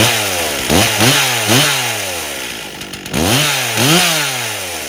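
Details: 1998 Stihl 044 Magnum chainsaw, freshly fully rebuilt, first test run with 25-inch bar and oversized clutch (spec 2700 rpm idle, 14,000 max); quick blips rise sluggishly and sag before climbing, slight bog; suspected slightly too rich under load, not confirmed.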